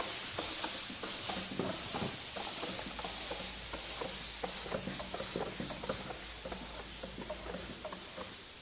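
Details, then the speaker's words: RV tire with Multi Seal sealant, punctured by a three-quarter-inch spike: rhythmic hissing spurts about four a second as the wheel spins, fading as the sealant self-seals the puncture. "so as this comes out I'll spin the tire and you'll hear it stop hissing"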